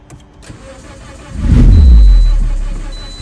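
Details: 2009–2013 Toyota Corolla with intermittent no-start, spark present, only random misfire codes: starter turns the engine steadily and evenly but it never fires; low compression in all cylinders from a failed head gasket.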